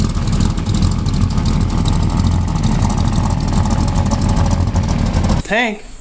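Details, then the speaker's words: 1978 Chevrolet K30, 1984 350ci V8, after new plugs, wires and repositioned valve cover (earlier tick was valve gear hitting the cover): catches and settles into steady even idle, no ticking, much quieter. "we changed that valve cover around so hopefully it's a little less noisy with that valve tick that I always thought it had but it's just been hitting the uh valve cover the whole time so let's get her started let's see what it's like [Music] oh yeah that's a lot quieter"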